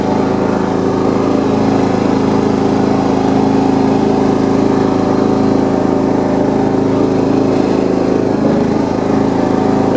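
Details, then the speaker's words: John Deere 170 lawn tractor after steering and front wheel repairs, mowing deck off, driven on the street in 5th. Steady, even single-cylinder drone at constant speed with no knocks, rattles or misses; runs healthy. "pretty good on the street it's kind of funny on the street it feels like it's going so slow but then when you get in the yard it feels like it's falling but but all right so it's running pretty good"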